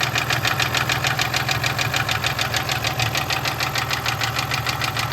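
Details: 1996 Toyota Tacoma 3.4 5VZ-FE at low rpm idle: sharp evenly spaced metallic rod knock from a worn connecting rod bearing, with very low oil pressure.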